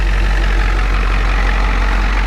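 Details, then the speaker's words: 1993 Ford E350/E450 box truck, 7.3 IDI diesel, started after sitting a year: deep, steady idle with even low rumble, no misses, knocks, smoke or blow-by; healthy engine. "You see, there's no smoke. This engine is really healthy. It sounds like an IDI, it runs like an IDI, and it's gonna run forever."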